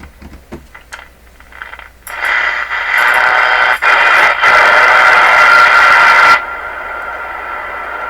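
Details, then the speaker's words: Canadian Westinghouse Model 636 tube radio, junk set, AM band: harsh hiss with a steady ring rising each time the tuning dial turns; suspected to come from the dial string being pulled or released, not confirmed. "now that that sounds like ringing someone every time I turn the wheel"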